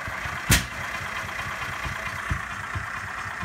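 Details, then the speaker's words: Petrol engine with old spark plug that still showed spark, choke pulled, foot on gas, engine running rich: cranks with sharp backfire pops but never catches; new spark plug swapped in next. "Nothing is running. I can choke it, hear the backfiring. Kind of wanted to go, started to, nothing."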